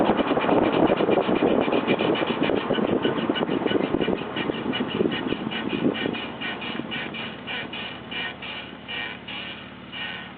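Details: Car brakes: rhythmic scraping pulses about three to four a second, slowing as the car rolls to a stop; brake scrape, cause unknown.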